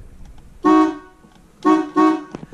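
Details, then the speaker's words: GM Cadillac Eldorado horn after repairing the broken horn circuit in the steering wheel (horn contact spring, retainer, insulator); three short loud, steady two-note honks, train-like, starting and stopping cleanly: normal horn. "sounds like a train but yeah so that is the horn"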